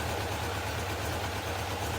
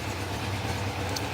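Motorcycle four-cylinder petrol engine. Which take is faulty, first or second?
second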